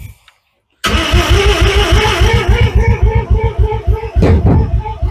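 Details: Mazda RX7 FB rotary, suspected flooded, no alternator attached: fast, steady cranking pulses about three and a half per second, never catches; no-start, possibly flooded.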